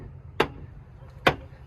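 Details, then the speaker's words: Truck door swung open: two sharp clicks about a second apart, the snap of a broken door check, likely causing the clicking. "it's snapping right here and that is called a door check it's actually broken looking right there and I think that's what's clicking"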